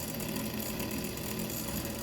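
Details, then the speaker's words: Used ATI Radeon 9800 Pro AGP card with Molex power, tested in a Dell Inspiron, no video output and no hard drive boot heard: continuous rough, buzzy, gritty whir at steady speed; cooler fan sounds bad, thermal paste found dried hard. "Alright, right away I can hear the fan sounds like ass on it. and no video out. And not only that, I don't hear the hard drive booting up or anything. That fan just sounds bad."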